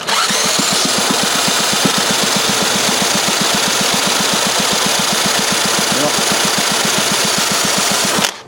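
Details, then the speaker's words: 1952 Briggs & Stratton 5S with cleaned points and restored spark, spun by a drill: weak, even puffs about four a second with no firing; low compression from a bad valve seat needing recutting; low compression cranking no-start. "I mean we couldn't start because it you know has a bad seat but we'll try it for you anyway"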